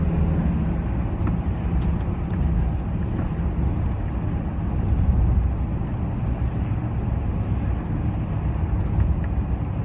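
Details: Mitsubishi L200 Classic, heavy low rumble with rough uneven drone under acceleration, engine down on power; cause unclear.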